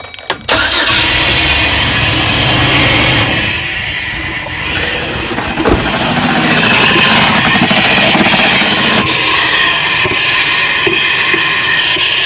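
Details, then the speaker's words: 4.3L Vortec V6, freshly swapped engine, first start: runs with a sharp, fast ticking slap over idle as the fan blades hit the shroud, not yet in position; owner thinks the fan may be hitting plastic. "that sounds a little better think that fan is still hitting might be h plastic down there"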